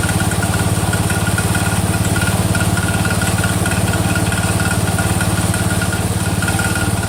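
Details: Cub Cadet 102, freshly rebuilt Kohler single-cylinder: steady idle with fast regular tick every few beats, unchanged by load; damaged front pulley coming apart, not the rod.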